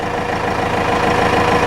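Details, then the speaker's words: Cummins 4BT turbo diesel just after oil change, new fuel filter and washed air filter, oil pressure building: even, steady diesel clatter at idle with smooth unbroken rhythm; sounds happier, normal idle. "can give it a little bit of throttle or pull up that oil holder she's current sounds happier got some fresh oil fresh fuel filter"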